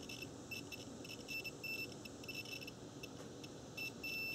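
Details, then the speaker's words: Faint, high, steady multimeter beeps over quiet hiss. A cooling fan relay is energized on terminals 1 and 2 from a roughly 12 V RC battery pack, and the meter shows continuity across terminals 3 and 5; the relay contacts close properly. "so just take the leads terminals three and five and we should hear an audible alert and there you go"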